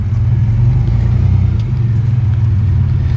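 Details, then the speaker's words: 1992 GMC Sonoma GT, 4.3 V6 CPI, after idle surge fix (new spider injector): deep steady rumble with no surging or stumbling, runs well with no bogging. "still running still running runs good man does it yeah it's great"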